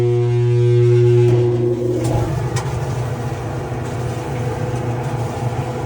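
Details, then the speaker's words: Flood-damaged Kenmore/Whirlpool dryer drive motor: steady low hum for a second, then drags slowly into rotation only after being pushed; failing motor with slow start, won't start under load, needs replacement. "All right, so that's a failing motor because you were able to push and it starts. So especially when it's loaded, it's not going to start."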